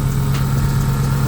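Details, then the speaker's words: Dodge SRT (Magnum/Charger) just after water pump replacement and belt refit, before antifreeze top-up and warm-up: smooth, even idle with steady low hum and no belt squeal or chirp; belt drive sounds healthy. "belt smooth belt good put some antifreeze in here it's time to let it warm up"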